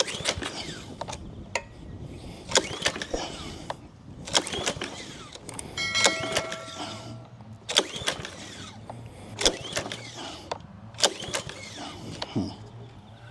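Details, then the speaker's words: Free Honda GCV160 pressure washer with new fuel and the oil checked fine, before carburettor replacement: repeated rope pulls, a short whirring rasp every second or so, never fires; fails to start on pull-start. "so I go out and I try and start it you know I pull on and pull on and pull on and it doesn't start"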